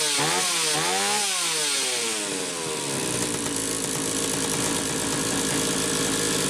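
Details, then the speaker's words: Stihl 031AV chainsaw after ignition repair with aftermarket ignition module replacing the original trigger under the flywheel: blips up a few times then holds a high steady even scream, no stumbling or misfire; repair worked. "oh okay so it worked that's the good news"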